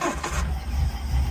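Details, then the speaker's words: Car with a big racy cam, now on an ECU instead of carburetors, being run in with no cold start map yet, stone cold and unstarted all day, no throttle: catches quickly and settles into a low, steady idle. A clean cold start. "the car starts up. Runs absolutely lovely. Bearing in mind we've got a a huge sort of racy cam in there."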